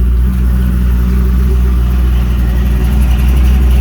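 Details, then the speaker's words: 350 Chevy V8 newly installed in an HQ Holden ute, carburetor dialed in: a deep, smooth burble holding a steady idle around 1000 rpm with no misses or stumbles. Normal idle, though it later stumbled on first throttle hit. "we're idling it around about a thousand revs that's where it seems to be happy"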